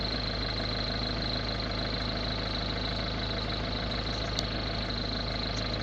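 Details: Ford Focus 1.6 TDCi diesel at idle: steady idle carrying a thin high whistle and a faint irregular knock underneath. Abnormal idle noise, cause unclear.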